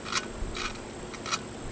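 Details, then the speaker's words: Honda GX25 (HHT25S) 25cc four-stroke trimmer engine during rebuild, valve lapped by hand with fine grinding compound: short scratchy rasps about twice a second as the valve twists on its seat; normal lapping sound. "you can hear that kind of grinding that's just that valve compound it's got almost like a like a diamond grit like a really fine grit"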